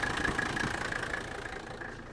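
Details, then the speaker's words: Old Mercedes diesel idling on fuel of unknown age before a road test. Soft, even diesel clatter ticks over at a steady idle with no knocks standing out; sounds pretty good, idling normally. "but this sounds pretty good to me"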